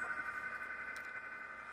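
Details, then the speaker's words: Fujitsu mini split outdoor condensing unit: steady thin high-pitched singing over fan hum; worn condensing fan motor bearings. "got a little little sing a little high pitch tour right so we're going let's take care of this place this motor"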